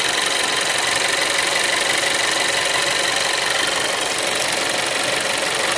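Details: Seat Leon 3 (5F) TSI 140 at idle; loud, hissy steady idle with fine fast tick about three per second underneath; abnormal idle noise, source unclear.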